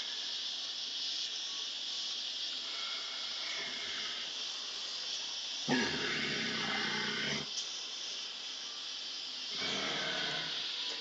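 A steady high hiss runs throughout, with louder rushing bursts over it: water spraying from pinhole leaks in the copper pipe.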